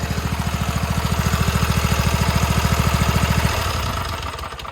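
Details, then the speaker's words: Toro TimeCutter 42-inch zero-turn mower, V-twin; steady idle about three and a half beats a second, then stumbles and dies when ignition wires on one side are moved; key-off grounds only one coil. "it'll die. So it's grounding out one coil but not the other when you turn the key off."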